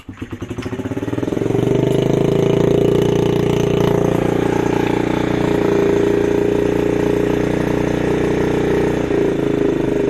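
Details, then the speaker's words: Honda CRF50 50cc single, dump find with likely non-factory exhaust, idle cranked up: revs up and drifts down slowly, idle hanging high; owner suspects sticking throttle cable, fits harder return spring, also suspects vacuum leak. "There's an issue where it revs up and revs down slowly, so it seemed like the cable was sort of sticking."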